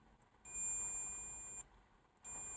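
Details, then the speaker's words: VW Beetle rewire, multimeter continuity check on wiring: two clean steady high-pitched beeps, one long then one short, as probes touch; tester working normally. "I'm going to run a multimeter across and do a continuity check."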